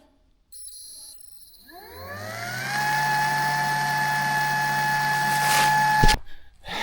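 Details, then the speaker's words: Transfer pump moving rainwater to the off-grid cabin tank in freezing weather: motor whine climbs and holds a steady pitch, then cuts off abruptly; pump stalling, starved by ice blocking the suction hose, flow restored once the ice cleared. "ਉੱਥੇ ਬਰਫ਼ ਹੋਣੀ ਚਾਹੀਦੀ ਹੈ ਜਾਂ ਹਵਾ ਚੂਸਣ ਦਾ ਪਾੜਾ ਹੋਣਾ ਚਾਹੀਦਾ ਹੈ, ਪਰ ਮੈਨੂੰ ਕੋਈ ਚੀਕ-ਚਿਹਾੜਾ ਨਹੀਂ ਸੁਣਾਈ ਦਿੰਦਾ।"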